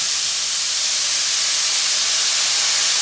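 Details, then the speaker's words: Victor-style oxy-acetylene cutting torch set to a neutral flame with the cutting lever held down. The cutting oxygen jet gives a loud, steady, high hiss with no sputter or popping, flowing evenly and correctly adjusted. "Right, there's where we want to be. We're going to hold the cutting lever down and make adjustments."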